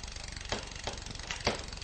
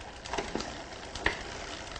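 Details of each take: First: Bicycle with Shimano rear derailleur: limit screw backed off too far, so chattering and then sharp metallic clicks as the chain overshifts off the sprocket and jams between sprocket and frame. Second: Shimano Dura-Ace 10-speed rear derailleur being indexed, shifted under no load. Freewheel ticking with a crisp click at each change as the chain steps across the cogs: indexing shifts cleanly.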